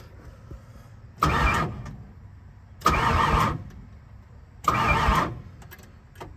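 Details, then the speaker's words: 1970 Ford Falcon starter cranking the engine on newly spliced wiring harnesses ahead of a first start. Three separate half-second bursts of steady whirring, no grinding or clicking; the starter turns the engine over normally. "And it clicks over like it's supposed to. Oh, one step closer to starting."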